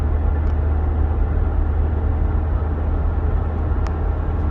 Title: Propeller shaft sound bad bearing??